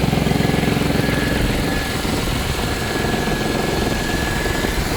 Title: Посторонний звук в двигателе Audi A6 C5 2.7 biturbo